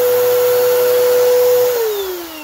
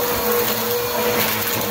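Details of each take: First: Bissell vacuum with a broken brush-roll belt: a steady, unloaded motor whine with no brush-roll flutter, then falling pitch at switch-off; the roller and beater are not turning. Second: Bissell vacuum cleaner after drive belt replacement, running on the third setting: steady, even motor whir with constant pitch and no slapping or grinding. It runs normally.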